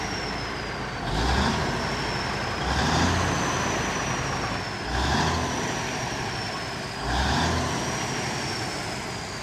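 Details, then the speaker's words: Kenworth twin-steer truck diesel, fuel pump previously stuck: climbs cleanly through four quick blips and drops back each time, revving freely in a way it could not for years; normal free revving. "all right if you heard me revving it like that that was I've never been able to do that for the last couple years well since I've had it gone again of course that the fuel pump was stuck but sounds like she's freed up quite a lot which is good"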